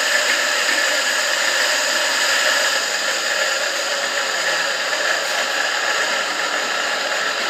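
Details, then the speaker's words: Electric water pump motor after sanding and replacing the bearing to cure a humming no-spin fault: steady smooth high whir, no growl or stalling; running normally after repair. "telah dinamo pompa air berfungsi dengan baik lanjut kita lakukan proses perakitan kembali ya"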